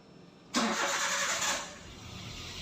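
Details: Daihatsu Terios restarted after its fuel pump was switched off and back on with a G-Scan3: a brief crank catches at once with a sharp rise, then a quiet, steady idle: normal engine start.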